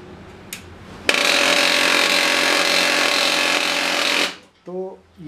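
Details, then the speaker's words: HP LaserJet M1005 MFP printer at power-on: a harsh, rasping grind of about three seconds, then quiet. The gear assembly on the USB-port side is suspected of being damaged; unconfirmed. "आवाज आ रही है दोस्तों तो इस चीज को देखने के लिए हमें इस प्रिंटर को खोलना पड़ेगा"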